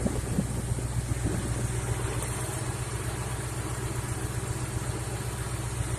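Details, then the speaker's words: 2014 Ford Mustang GT 5.0 Coyote V8 about a month after replacing a ticking lifter and a rocker follower with a worn-flat roller: steady, even idle with smooth low burble and no ticking; valvetrain quiet, repair successful. "So I've been driving this around for about a month now, and as you can hear, no more thinking."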